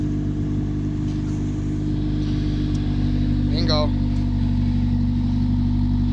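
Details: Steady, deep petrol idle with an even exhaust note and no ticking or puffing, after the holed exhaust was replaced with straight-through pipe from an old Civic; no exhaust leak remains.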